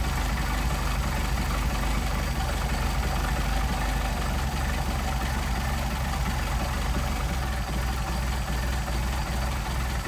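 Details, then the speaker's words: Mercedes 190SL four-cylinder with rebuilt Solex carbs, idle lowered from 600 to about 400-425 rpm: deep, slow, slightly uneven thump near labouring; idle speed too low, to be raised to about 700. "500 and 425 400 425 pretty impressive now we don't want the engine laboring so we're going to kick it back"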